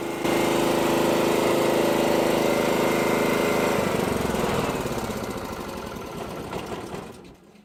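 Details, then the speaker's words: Petrol generator unused for about 5 years, converted to run on propane fed into the petrol inlet, bypassing the carburettor: even, steady engine hum at constant speed, then smooth wind-down. Normal running; speed set by the bottle regulator. "So you can hear that, there's gas going in it, don't it? There you go! That generator hasn't run for about 5 years."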